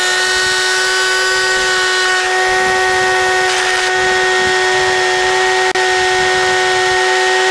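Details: Team Associated Apex RC car during a bearing benchmark run, cold at 61 degrees: piercing high-pitched scream with a buzzy edge at full throttle, drawing over 400 watts; driveline dragging from a vibrating driveshaft.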